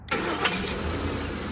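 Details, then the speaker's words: 2010 Ford F-150 5.4L with random no-crank/no-start, PCM suspected bad: starter relay bypassed by latching terminal 87 with test kit; short crank, engine catches right away and idles, proving load side of circuit good; normal crank and start. "and it started right up"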